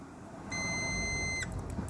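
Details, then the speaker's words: 2007 car whose battery overheated and smoked: multimeter continuity tone probing the starter power feed to ground after disconnecting the alternator; the starter is shorted internally to ground and needs replacing. "you hear there's continuing that this is a problem the starters no good the starter shorty shorted out"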